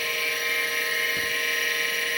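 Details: Seagate ST-251 vintage 5.25" MFM hard drive after a control board swap, booting an XT clone to the command prompt: a clean, steady high whine with no ticking, scraping or clicking; normal running.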